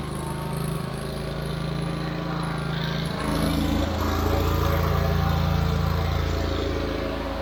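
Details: Wright Stander stand-up mower single-cylinder engine after carburetor replacement (it previously died unless choked): steady even beat picking up briefly under load, no misses or surging, running smoothly; tank fuel grommet still leaking.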